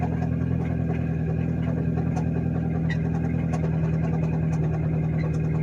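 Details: Nissan Versa small four-cylinder with existing rod knock, broken down, plugs cleaned and gapped without much improvement: rough idle with a light rapping tick over the engine note; rod knock.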